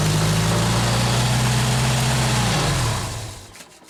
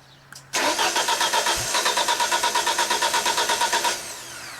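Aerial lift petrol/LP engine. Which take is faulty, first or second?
second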